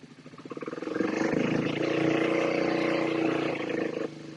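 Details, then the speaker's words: Twin-carb motorcycle running on one cylinder, fuel sprayed into the front carb: lumpy, uneven single-cylinder beat, then revs jump and smooth as the front cylinder fires. Fuel starvation from a gunked-up front carb float needle. "foreign just a very quick video to help diagnose a fueling issue obviously you can hear the other cylinder kick in when we spray into the front carb the revs just pick up on the one cylinder when it's just sprayed into the rear cup"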